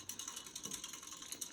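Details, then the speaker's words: Casablanca Four Seasons III ceiling fan with Builder blades and a different light kit, running in reverse on high, also heard without spin-down: fast light clicking, roughly ten ticks a second, like a ratchet as the fan turns, cause not clear. "also make that sound when we don't spin down as well but yeah something is doing something in that mode to happen"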